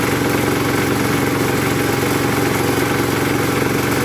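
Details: 1981 Case 210 garden tractor, first start of the season after winter storage, battery reinstalled: steady, even putter at about three firing pulses a second, no knocks or misses; idling cleanly.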